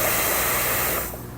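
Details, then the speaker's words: LEHR propane engine, tank installed and fuel system pressurized, banjo bolt at the carburetor fuel line loosened slightly with a 16 mm wrench: steady sharp hiss of escaping gas for about a second, then it drops away; confirms propane flow to the carburetor. "You can loosen that slightly, again with the tank screwed in. Use a 16mm wrench or a 5/8 is close enough, will work, and just unscrew it slightly till you hear it or see it leaking."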